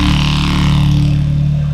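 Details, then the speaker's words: Apple HomePod speaker under repair, subwoofer apparently bent at some point, to be fixed during hardware maintenance: loud boomy low notes with buzzy, smeared bass edge; distorted bass output. "Wow. Okay, well that's working, but it sounds like the subwoofer got bent up at some point, so we'll fix that up as part of the hardware maintenance that they opted for."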